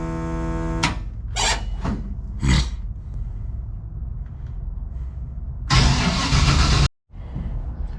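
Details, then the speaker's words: Engine with a new MSD 6AL ignition box, after adding one ground and a little fuel: short cranking bursts and a longer churn that never catches; no start because another ignition ground was still left off. "Alright, we're about to see if this thing gonna start or not. Hopefully it will. I just added in the ground."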